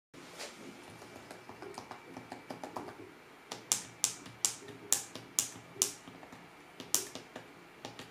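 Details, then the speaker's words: MacBook Pro 15-inch 2016 with Touch Bar, running hot under heavy load near the hinge; certain keys give sharp, bright clicks, harsher than normal typing; abnormal key click noise, known issue reported by other users. "Acela a fost momentul în care anumite taste au început să producă un sunet diferit și chiar deranjant față de cum se aude în mod normal tastatura."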